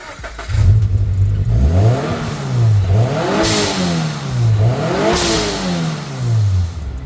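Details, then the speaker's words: Turbocharged Subaru BRZ with Speed by Design kit, stock blow-off valve fitted, before swapping to a block-off plate: revs rise and fall twice, each lift-off ending in a sharp airy whoosh of released boost, normal blow-off valve venting. "we're going to go from the blowoff sound to the turbo flutter or the compression surge which is the sweet sweet iconic like turbo flutter"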